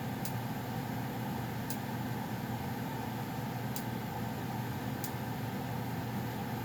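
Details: Goodman furnace running steadily before shutdown: soft constant low hum with a few faint sparse ticks, no rubbing or rattle; owner notes a popping as it shuts off; normal furnace running.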